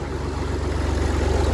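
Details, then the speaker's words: Massey Ferguson 35 tractor being restored, started first turn after about 3.5 gallons of hydraulic oil was added for testing: a low steady diesel chug at an even pulse with nothing knocking or missing. It idles clean and healthy. "So I have the 35 fired up."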